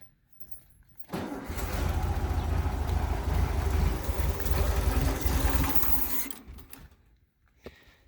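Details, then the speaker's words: 1974 VW Beetle with freshly installed 1641cc engine, temporary fuel supply from a gas can, first start: catches after a short crank, runs lumpy and uneven about five seconds, then dies; rough running, won't idle. "i got it running at least enough to be able to see if it move under its own power it doesn't want to idle really so i'm going to mess around with that"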